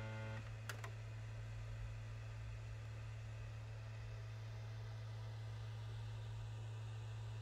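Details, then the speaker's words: PlayStation 5 copying a game from disc: steady low buzz and rattle under the spinning Blu-ray disc, caused by a loose, improperly secured removable side panel vibrating; it stops when the panel is pressed. "it is actually one of the side panels which is vibrating so if you can hear this rattling sound it goes away when i press on to the side"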